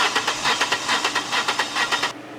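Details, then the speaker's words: Cranking with the accelerator pedal held fully down, one cylinder low on compression: the starter spins with a hitching rhythm, about eight uneven pulses in two seconds, speeding up on the weak cylinder's stroke because it isn't squeezing air; uneven cranking from low compression. "I have heard cars spinning to start all the way across the parking lot and I could tell by the listening to it spin that it had a uh low compression on one cylinder cuz that one cylinder that's not squeezing the air is going to pick up speed faster than the others"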